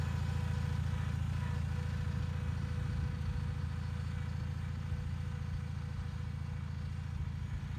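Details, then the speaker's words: Bolens HT20 garden tractor on a test drive after repairing a flat rear left tyre; steady, even low engine beat under way with no knocks or rattles, running nicely. "as you saw there the tractor is running nicely and this tire seems to be holding air well"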